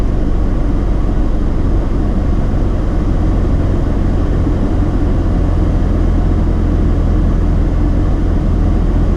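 Warm rotary idling rough and uneven, speed sagging and rising with low-rpm stumbles; misfire traced to wrongly wired injectors.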